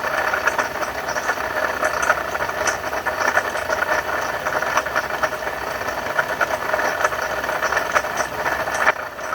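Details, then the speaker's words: 2012 Ford F-150 3.7 L V6 Ti-VCT, 2WD, idling with serpentine belt on: steady gritty whir with fine rattly ticks over the engine from a bad water pump. "Alright, that's what a bad water pump sounds like on a 2012 Ford F-150."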